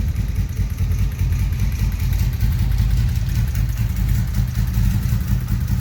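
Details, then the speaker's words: 1983 Honda Magna 750 V45 after head replacement for a broken valve adjustment screw, cold start, about 100 trouble-free miles since: fires and settles into a smooth, even low rumble with no knocks or rattles; healthy. "And there she is. Sounds good. Now I put about 100 miles on it since I did the work, and I haven't had any problems since, so I think she's good to go now."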